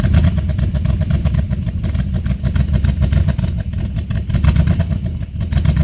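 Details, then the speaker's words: Buick 350 V8 after oil pump and lifter work, cold start on choke: deep, uneven burble with irregular lumpy beat and loose clatter, rough running; owner suspects the oil pump, a new exhaust leak, and an unexplained squeak. "So, yeah, start it to rear cuz it's really cold on startup. That might help it. Fires right up."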